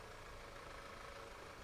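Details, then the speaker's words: Car at idle with an even low rumble and faint hiss, note unsettled as if about to stall; vacuum leak suspected, fuel trims being checked to confirm. "i think i hear a vacuum leak let's graph that and then turn that on for you guys sounds like it's about to stall out"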